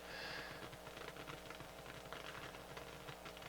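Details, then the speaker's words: Harman Kardon 730 receiver, right channel, microphone clipped to speaker; low hiss with irregular crackles, pops and fizzle over faint hum, worsening as it warms, music still plays fine; suspected noisy transistor, power supply or power amplifier problem, not confirmed. "funny enough it still plays music fine to that channel sounds great but it's got this awful hisk sap Crackle Pop fizzle"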